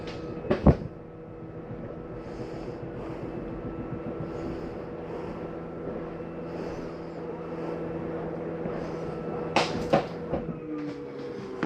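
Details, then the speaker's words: 2022 Bighorn 37DB fifth wheel hydraulic slides extending, last slide going out: steady electric pump drone with clunks at start and end, reducing and winding down when finished; normal hydraulic pump run. "here it's a reduction in the engine and wind down that's when you know it's ready"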